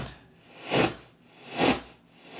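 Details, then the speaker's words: Kenwood KR-44 receiver after replacing one channel's output transistors: radio static swells and drops in a regular pulse about every 0.85 seconds, cutting out above low volume; output transistors running hot, cause not confirmed. "that it just cuts in and out like crazy yeah the louder you go it's only stable at this lower volume"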